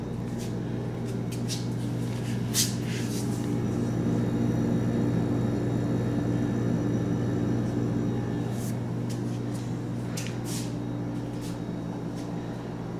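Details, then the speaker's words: 1982 GE side-by-side refrigerator, model TF20DB, about 40 years old: the compressor runs with a steady low hum and constant tone, no knocking, rattling or stalling. Normal compressor run. "listen to that 40 year old compressor just as smooth as ever"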